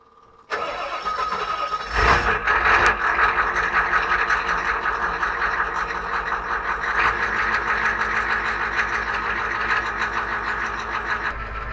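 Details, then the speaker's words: 1994 Ford OBS F350 7.3 IDI diesel 4x4, morning cold start after injection pump fuel turned up: cranks, catches unevenly, settles into a rough clattering idle; struggled unusually hard in mild weather. "that cold start was definitely a little aa little rough little problematic there normally this thing fires right up you know it's really not that cold ear so the fact that it struggled so hard to start is concerning"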